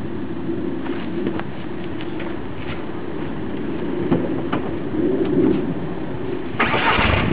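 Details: VW Golf Mk4 TDI diesel idling; clatter with uneven lumpy beat around four pulses a second, birds in background: rough idle.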